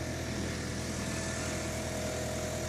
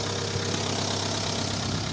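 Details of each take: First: Engine after cylinder-head repair and head gasket replacement, warming up at raised idle: steady even hum, quiet, no hydraulic lifter tapping; earlier lifter knock (additive didn't help after 350 km) cured by cleaning clogged lifters. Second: Petrol car idling after cylinder head gasket repair: quick light ticking from the top end, hydraulic lifter tapping; an additive and about 200–350 km brought no change; several clogged lifters were found and cleaning cured it.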